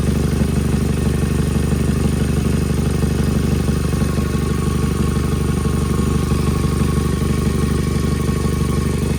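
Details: Nissan (Sentra/2017 Altima SV) engine bay: idle with a sharp puffing tick repeating evenly over the engine note; cracked exhaust manifold, common issue, fixed by replacing the manifold.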